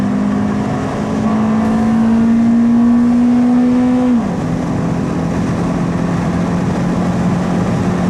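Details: Toyota Celica GT-S (2000–05) after installing an Injen IS2045P short ram intake, with TRD exhaust, warmed up: engine drone climbs with revs under acceleration, drops at the upshift, then holds a clean even note; alternator whir noted; normal intake and exhaust sound.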